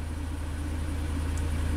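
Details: 2004 Chevy Avalanche, 5.3L V8, 67,000 miles, at times misfiring on up to 4 of 8 cylinders: a deep, lumpy, shaky idle in Drive with engine braking. Misfire counters show cylinder six, then two, misfiring.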